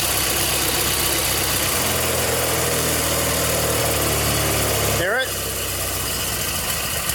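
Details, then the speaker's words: Vintage 1980s Simplicity Sunstar garden tractor, after starter solenoid replacement, choke seemingly not working and fuel bottle-fed, running while warming up: uneven, lumpy idle that hunts rather than settling; rough running, possibly a fuel-mixture problem. "oh she running [Music] crappy"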